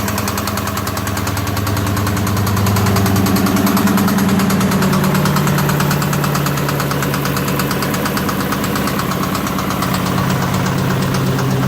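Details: 2003 Ford Mustang Mach 1 V8 at steady idle with a regular knock about three times a second, coming from the aft end.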